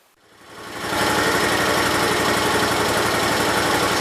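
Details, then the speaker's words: 1968 Gravely 430 engine, running with a high idle (choke cable caught behind the governor arm): a steady, even putter with no knocks or misses. Healthy, not smoking badly; owner may adjust the valves. "well it sounds alright guys i know it's going to smoke a little bit because i put some oil down in the rings and stuff"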